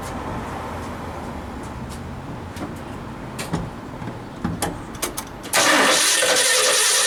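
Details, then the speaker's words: 1976 Ford F-250 after Holley 6947 carburetor rebuild and mechanical fuel pump replacement: clicks of handling, then the engine catches at once and settles into an even, strong warm-up run before adjustments; clean healthy start. "all right guys we gotta fires a little warm up a little bit we'll do some adjustments on it"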